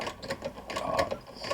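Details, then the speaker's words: Vulcan Senior child's toy sewing machine (made in England), hand-cranked and clamped to desk, with substituted thread tension parts; light rapid even ticking of the needle mechanism as it forms a chain stitch: normal chain stitch sewing. "okay so let's clamp it to the desk and do a little bit of sewing here right there we go see if I can get it to chain out yep"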